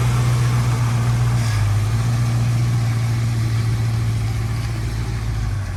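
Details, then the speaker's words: 1950 Plymouth Deluxe, off the road 23 years, restarted after running out of gas while driving and being refuelled: engine catches and settles into a steady, deep idle with an even low rumble, no misses or knocks. "as it sits right now it runs it drives it runs out of gas it starts back up with gas"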